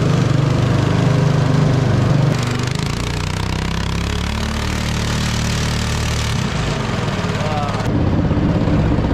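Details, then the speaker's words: 212cc 6.5hp Honda-clone 4-stroke driving a homemade jet unit in a river: loud, slow, heavy drone, bogging and straining rather than revving freely; overloaded, cause unconfirmed. "yeah sounds like it's struggling well guys real loud and real slow"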